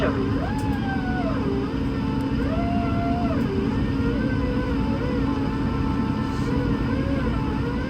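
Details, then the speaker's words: Airbus A220 cabin on a Marseille–Paris flight: low rumble with smooth tones sliding up and down as the trailing-edge flaps extend to enlarge and curve the wing for lift at low speed; soft even purr, normal operation. "Les volets l'agrandissent et la courbe pour créer plus de portance. Sans eux, il faudrait décoller à plus de 300 km/h."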